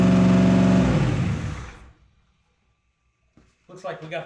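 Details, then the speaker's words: First startup after Holley Dominator EFI install: engine races at a high steady idle then cuts off; idle screw not even touching the butterfly, something holding the throttle blade open, owner suspects maybe a vacuum leak; plan to readjust and redo TPS auto-set. "idle screws set really really high so we're going to adjust that and do another tps auto set all right so there's definitely something going on there uh the the idle screw is not even touching the butterfly so something's making it idle high maybe a vacuum leak or something"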